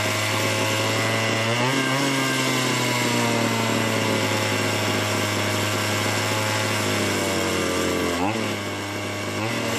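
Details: Small chainsaw long left dead, revived, owner advises replacing the carburetor bracket holder: small two-stroke buzzes at a steady, even pitch, dips and picks up cleanly with throttle; normal running.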